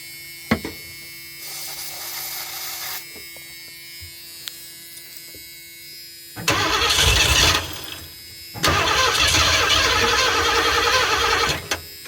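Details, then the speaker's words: 1984 Ford E150 Econoline camper van, fed carb cleaner through the carb while checking for spark: several long cranking bursts with brief uneven catches that never settle; cranks and sputters but won't start. "and that sputtered okay we're going to do a little bit bit better on fuel"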